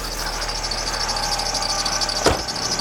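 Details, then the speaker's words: Alfa Romeo Spider 916, left-hand drive, just started cold after new crank sensor: thin high chirping squeal over idle from auxiliary belt, otherwise running sweetly, idle to settle near 900 rpm when warm; auxiliary belt squeak, owner will probably fit new belt. "a bit of a squeak coming from the auxiliary belt. I'll probably put a new one on."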